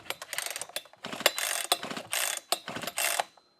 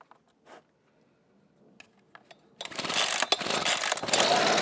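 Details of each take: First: Husqvarna 125B two-stroke leaf blower, on choke: several recoil pulls, each a quick ratcheting rasp, with strong compression but no firing. There is no spark even with another good used plug; the ignition coil was later replaced. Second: Husqvarna 125B two-stroke leaf blower after replacing the ignition coil (verified no spark): with lines purged, full choke and blower tube off, it catches after a few pulls and holds a steady buzzing run. The new coil fixed the no-start.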